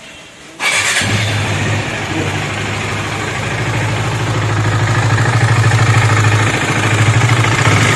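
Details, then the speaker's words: KTM Duke 250 engine noise: starts, then loud tinny clatter over idle about three beats a second; worn timing chain, tensioner and valve train, tappets and timing to be checked. "बार तो आपने देखा इसके engine में से बहुत गंदी वाली noise आ रही है तो इसी पर काम करने वाले हैं आज हम"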